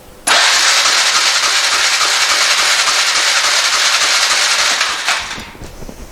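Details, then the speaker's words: Polaris 425 ATV, not run for 3 years, now with more consistent spark: about five seconds of steady starter cranking that never fires. Cranks but won't start; fuel or timing suspected. "so now I guess I need to go back and check my fuel situation it also could be that the timings just like way off but I'm not too sure how to check her adjust that"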